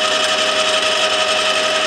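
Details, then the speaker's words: HAFCO AL320G lathe, about 7 months old, straight-cut gears with much backlash, original gearbox oil: loud continuous gear whine with rough rasping chatter, no low rumble; noisy gearbox gear noise. "Now, I purchased it over 7 months ago, and there's one thing that annoys the hell out of me about this, and that is the gearbox noise. It is super noisy."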